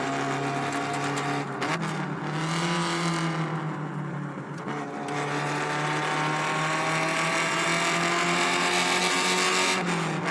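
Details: Alfa Romeo Spider 105 Veloce with a restored, fully rebuilt 1750 four-cylinder, driving on the road: a strong, clean note with a smooth, even rise in pitch as it revs. The engine sounds healthy.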